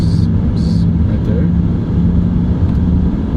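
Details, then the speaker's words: E93 BMW 3 Series (E9X) driving, front wheel bearing worn: intermittent buzz or vibration heard around 40–60 mph, a low droning buzz over road rumble that dies down under 30 mph and goes silent at very low speeds. "you see it going to 30. that buzzing sound kind of just died down after under 30. and then at very low speeds you don't hear it"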